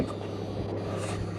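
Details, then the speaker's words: Parked Jeep Wrangler with nothing running: low steady electrical buzz of unknown source; the battery turns out to be dead. "is it buzzing can you hear the buzzing i hear the buzzing"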